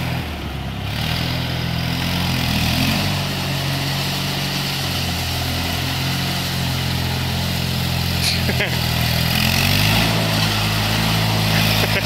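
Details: Brycon trowel machine small petrol engine running at steady speed with an uneven, stumbling beat that drops out now and then, a misfire, with fire seen coming out of the exhaust.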